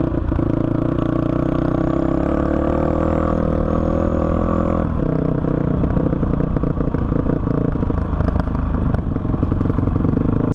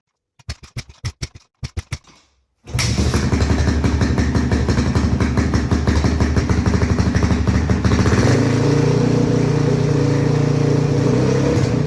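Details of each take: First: 2005 Honda CRF450X single-cylinder that sat 10 years, ridden after richening the needle one notch (two from bottom) and raising the main jet to 190 with a 45 pilot: strong steady beat, clean throttle pickup, no stumble or bog; running properly. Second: 2005 Honda CRF450X, stored about 10 years, kickstarted after fixing fuel tank leak: a few kicks, then the single runs ragged and choppy before settling into uneven idle; carburetor problem, later fixed by carb tuning.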